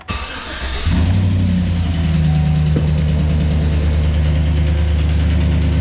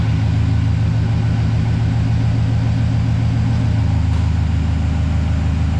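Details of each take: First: 2008 Chevrolet Silverado V8 with AFM/DOD cranks, catches and settles into idle with a steady, fast lifter tick over the low rumble, louder on one bank. An AMS Racing AFM/DOD delete kit is to be fitted. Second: High-mileage 2008 Silverado V8 that had a bad lifter tick, now idling deep and even with no lifter tick after an AMS Racing AFM/DOD delete kit and an oil flush with 10W-30, showing enough oil pressure.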